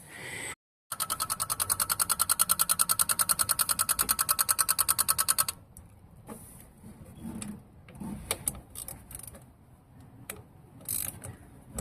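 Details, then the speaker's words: 1988 Chevy Caprice Classic with its original 305 V8, cranks but won't start, battery at 90% charge: sharp, even ticking about three per second somewhere at the front while cranking, then quiet; source unknown. "So, I'm trying to figure out why it's not starting. I'm hearing clicking sound over here somewhere in the front. I don't know where it's coming from."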